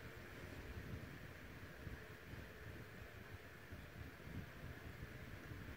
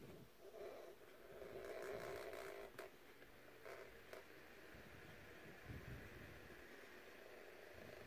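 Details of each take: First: Vintage Dynasty Classics 7-inch two-speed oscillating desk fan made by Tatung or Kuo-Horng, cleaned after purchase, running on low without oscillation: soft, even rush of air with a low hum, no ticking or rattle. Normal. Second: Vintage Dynasty Classics 7" oscillating two-speed desk fan, on high with oscillation engaged after a cleaning: quiet hum with a soft, uneven scraping rasp repeating a few times a second, something rubbing.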